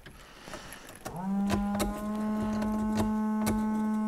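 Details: 1980 Corvette C3 5.7 V8, sat nearly 10 years, with the windscreen washer squirter stuck on, possibly the rear one. A small motor whirs up to a steady hum and keeps droning without stopping. Washer pump running continuously.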